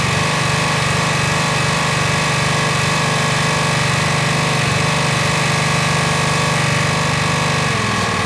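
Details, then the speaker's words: Honda GX120 single-cylinder engine on a Rol-Air nailer air compressor buzzes at a high, steady, even speed unloaded on high throttle, about 4,100 rpm wandering slightly; running properly. "okay all right she's running good now I want to do an RPM test on this"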